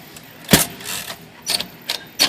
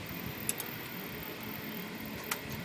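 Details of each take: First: Dirty Royal Quiet De Luxe typewriter: short sharp high squeaks and scrapes as the carriage moves, from the paper feed rollers; squeak stops when the rollers are lifted. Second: Royal Quiet De Luxe typewriter, dirty, in for cleaning and sticking keys: a few light typing taps then one clear bright ding that fades; margin bell works normally.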